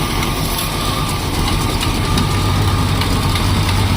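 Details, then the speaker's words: 1972 Plymouth Fury ex-police cruiser, 440 big-block V8, long-stored barn find just revived: steady, even idle with a smooth low rumble and no misses or stumbles. "I wasn't expecting it to just sit and idle honestly I wasn't either at all it's been sitting"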